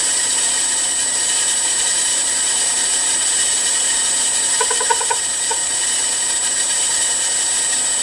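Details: Milling machine M head after new pulley-housing bearings, VFD-driven on highest pulley speed, limited to 15 Hz: quiet, even spin with thin high-pitched drive-motor whine; pulley housing smooth and silent, some motor noise remains.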